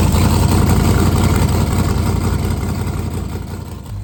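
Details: 1971 Chevy Nova race car, refreshed 383ci small-block Chevy V8 with TH400, running on E85 with the distributor now locked out: a loud, lumpy idle with a steady choppy beat of about three pulses a second, then it cuts off; healthy race engine.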